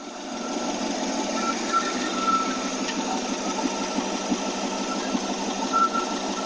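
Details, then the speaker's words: AMC Rambler 287 carbureted V8 after fixing vacuum leaks with new intake gaskets: steady, even idle around 725 to 730 rpm with no misses, ticks or knocks; normal idle. "that already just sounds awesome compared to what it was I mean this is a huge Improvement getting rid of all those vacuum leaks"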